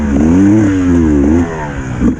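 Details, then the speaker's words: Enduro dirt bike 2.5 hours into a wet four-hour race; on throttle along a straight the engine note wobbles and sags instead of climbing, bogging and losing all power, then stalls and won't restart on kick or electric start. "Just get on the throttle and... oh no, my bike's bogging, if you can hear that."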